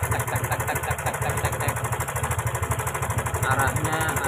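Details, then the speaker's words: Honda Karisma motorcycle, engine sounds very rough at idle with fast uneven metallic ticking from the top end; suspected loose cam chain or worn automatic tensioner, engine also leaking a lot of oil; cam chain rattle. "nampak di suara mestinya sangat kasar sekali di sini ada suara cek"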